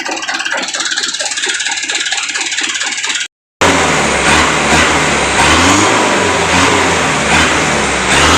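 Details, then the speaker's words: Mitsubishi Canter PS125 HD diesel truck after adjusting injection pump timing and fuel load: idle clatter with a knocking beat, then repeated clean rev-ups rising and falling without stumble; moderate smoke, setting sounds right. "memang bunyinya seperti hentakan seperti ini ya tapi ya tidak masalah lah"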